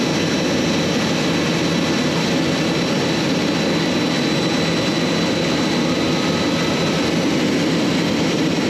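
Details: J79 jet engines on a successful ground run after refuelling and fixing leaks, to verify the leak repairs; steady, even turbine roar with a constant high whine, no surging or popping. Normal jet engine idle.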